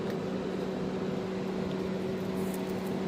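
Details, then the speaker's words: MG TF turbo conversion at first start, engine not running: steady electric whir of engine bay fans switching on unexpectedly at ignition; cause unclear, owner suspects coolant temperature sensor. "Oh, we've got engine bay fans kicking in for some reason."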